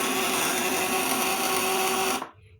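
Steady, even electrical buzz with a firm mid tone holding under load, then cutting off cleanly; the vibrator inverter is working normally.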